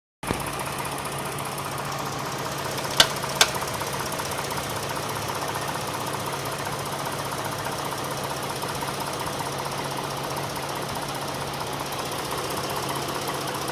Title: V6 engine knocking sound(1)